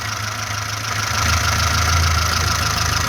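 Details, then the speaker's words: VAZ-2106 with a fully rebuilt engine, just started, idling at about 800-900 rpm as it should: smooth, even idle with a steady low beat, no bottom-end knock, no smoke from breather or exhaust; healthy. "автомобільчик працює на холостих обертах холості оберти приблизно десь біля 800-900 обертів так як і повинно бути"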